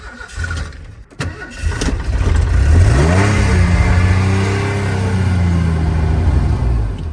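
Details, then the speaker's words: 1989 Ford F-150 XLT Lariat EFI barn find: cranks, catches and revs briefly, then sags, sputters and dies; owner suspects a weak fuel pump starving fuel. "I don't know maybe the fuel pump's weak on it I'm not for sure CU sometimes if I cycle the key and get plenty of gas up"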